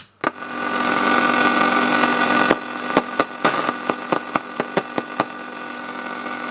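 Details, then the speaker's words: Pye 1113 vintage radio: steady hiss and hum, tapping the transistors sets off sharp crackles and brief dropouts; transistors are very microphonic, so washers are to be fitted as treatment. "but I found if I tap these transistors uh they seem to be very microphonic so I'm going to do the same treatment on both of them"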